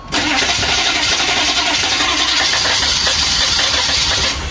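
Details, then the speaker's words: 1985 GMC Suburban diesel cold start using glow plugs. Long rough cranking with ragged uneven firing and smoke. Cause of the hard start not confirmed. "There you go. Look at that cold start."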